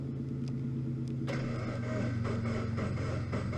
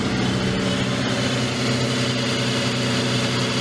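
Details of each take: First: Salvage Scion FR-S, first start attempt in neutral with clutch in, check engine light on: steady starter churn at about four even beats a second, never catching or firing; cranks fine but fuel gauge below empty, out of fuel. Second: Salvage FR-S, first start attempt with little fuel in tank: steady even low hum, smooth unbroken rhythm with no knocks or misses; freshly started engine idling cleanly.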